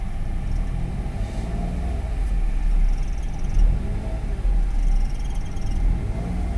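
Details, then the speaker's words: 2014 Daihatsu Ayla 1000cc manual, previously idle rpm rising by itself; quiet even idle hum with stable tone, no hunting or surging; engine sounds smooth, healthy idle. "Dari suara mesin mobil penulis ini suaranya halus ya."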